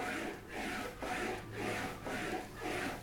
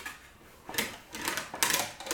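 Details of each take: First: English wheel shaping a Wolseley Hornet Swallow sports body panel, wheeling across after the first direction: soft even rasping swish about once a second, no rattle; panel now rolls smooth. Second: English wheel, first pass on a Wolseley Hornet Swallow sports body panel, pulling down on the backward roll: irregular light metallic rattle as lumps and mallet marks run through under the wheel.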